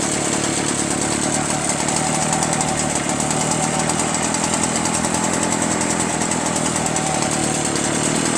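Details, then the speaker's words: Echo PB-403T two-stroke backpack leaf blower after carburetor cleaning, magneto reinstall and high/low mixture screw adjustment, kill wire disconnected: steady high buzz at even speed, no surging or missing; normal running. "Seems to run really well, man. I don't get it. I don't know why it didn't work before."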